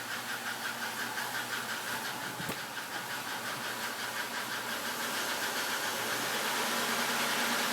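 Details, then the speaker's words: 1996 Buick Skylark 3100 SFI V6, nearly 150,000 miles, just switched from part-synthetic high-mileage oil to full synthetic. Light regular tick from the engine, about three a second, quickening with revs until drowned out. Spark plugs checked; owner suspects lifter tick. "Definitely seems to be from the engine. When it started just the the the day before, it did seem to go away as the car was revved up, but now it'll just speed up with the engine."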